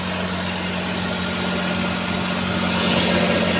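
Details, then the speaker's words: Maruti 800 after replacing broken wheel bearing and cleaning hub, engine running with lifted wheel spinning: steady engine drone, no hum or growl rising with speed, previous loud bearing hum gone; normal after repair. "ഇപ്പം നമ്മൾ കറക്കുന്ന സമയത്ത് യാതൊരു വിധ സൗണ്ടോ കാര്യങ്ങളോ ഒന്നും കേൾക്കുന്നില്ല."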